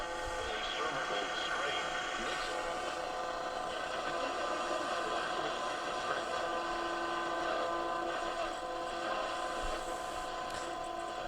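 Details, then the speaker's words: Westinghouse H-712P9 AM/shortwave radio after replacing capacitors: loud, full broadcast sound with steady tones and little fading; very sensitive, working well, alignment likely not needed. "I'll tell you boy this thing is sensitive it is working so well"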